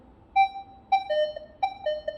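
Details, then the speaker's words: Minelab Equinox 600/800 metal detector with F2 setting raised to 19 over an open bottle cap: each sweep gives a short high beep breaking into a lower buzzy tone, repeating steadily, the cap's iron reading negative (ferrous). "Oi gente baixou lá Olha já tem dificuldade já tá negativar o ferro da tampinha"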